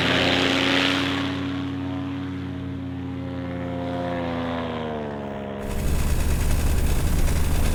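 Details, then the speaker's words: Paramotor with new custom stainless steel exhaust and harder mounts, on ground: low idle with faint uneven chatter at low rpm, then rougher buzzing run; slight rattle at low revs, cause unclear. "There's a little minute chatter when you get to the low RPMs. At idle right here, you can hear it."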